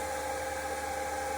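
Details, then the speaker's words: Diesel heater in a Vauxhall Vivaro campervan at start-up, dosing pump running and glow plug heating: smooth, constant mid-pitched fan whine with a low steady hum and no rattles; fan turning, heater running evenly. "and that the fan is actually turning, which I can hear it is."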